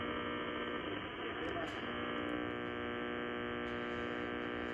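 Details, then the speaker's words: Ham radio on a short indoor antenna, powered directly by an Astron RS-35M linear supply, tuned near 1–1.5 MHz AM band: constant low buzzing hum with a raspy edge over hiss; interference, likely from local refrigerator and dimmer switches. "turn this radio up so we'll go back down to around 1 and 1 12 megaherz let's say and you can hear the interference"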